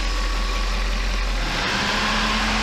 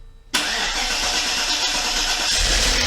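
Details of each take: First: Mercedes 500E W124 V8 after rebuild, running a while; smooth even idle with steady low hum, occasional lifter tick now much reduced, owner thinks oil cleaning works; normal idle. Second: Mercedes 500E W124 engine first start, fuel system completely depressurized; long steady starter churn about nine seconds with no catch; extended cranking until fuel system primes.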